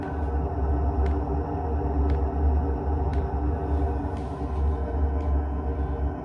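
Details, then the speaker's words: JP D6E combi diesel heater, first trial start in a barn after pressure line bled, initial smoke clearing: sharp steady tick about once a second over low rumble from the fuel pump; normal pump ticking. "oh it's stopped smoking now the pump's going you can hear the pump"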